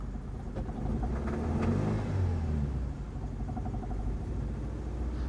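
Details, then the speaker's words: Ford Mondeo Mk3 in neutral after spark plug replacement (codes P0301, P0304, carbon-fouled plugs): rough lumpy stumbling idle, definitely misfiring and cutting out, yet no check engine light and no fault codes. "but curiously there's no check engine light that's definitely misfiring"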